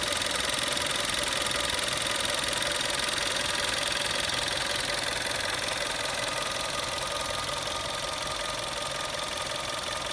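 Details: December 2011 VW Golf VI Style 1.4 TSI 90 kW/122 PS at idle after replacing worn-bearing water pump: smooth even idle, light quick injector tick about 160/min, no whine or grinding; normal.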